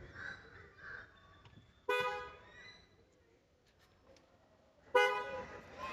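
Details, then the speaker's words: Toyota Fortuner Legender with newly installed Bosch Scarlet air horns replacing the stock horns: two short, bright, even-toned blasts about three seconds apart, no rasp; not very loud but pleasing, horns working normally. "You can see the difference between the default one and the new Bosch horns. Very good sound, not so loud, but very pleasing sound."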